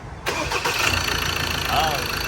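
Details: Ford Ranger 2.2 diesel, previously a no-start, after the injector repair: brief crank, then it catches at once and settles into a steady idle clatter; a clean, healthy start, noise expected to drop with the sound-deadening cover fitted.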